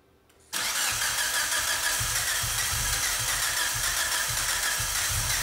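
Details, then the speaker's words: Freshly built Mitsubishi 4G63 in Evo VIII, first start prep, coils and injectors unplugged: steady starter whirr with even compression pulses, about three or four a second, never firing; cranking to build oil pressure, normal. "mike's going to crank it over for a while and see if we get well mostly just to build oil pressure"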